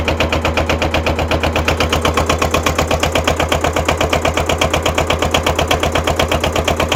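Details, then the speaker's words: Kubota L210 21 hp diesel tractor, cold start after glow plugs, smoking: uneven, lumpy idle pulsing about twice a second with a missing beat; one cylinder not yet firing, expected to kick in when warm. "we'll let it sit here and warm up once uh once that other cylinder kicks in it won't smoke anymore"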